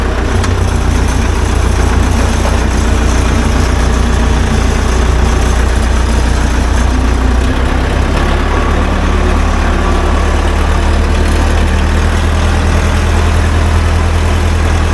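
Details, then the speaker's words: 1975 Case 580B backhoe after topping up transmission fluid that was quite low, crawling in reverse then in second forward: a deep, steady diesel rumble with no whine, clunk or slipping, normal transmission operation. "all right put her in Reverse here we go she's crawling now no assistance good let's go to Second and go"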